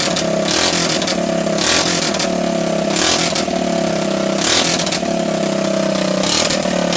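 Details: Honda ATC200S engine after being seized twice and a cracked oil filter cap replaced, refilled with oil: single cylinder revs up and settles in repeated blips, picking up cleanly with no knocks or misses; running normally.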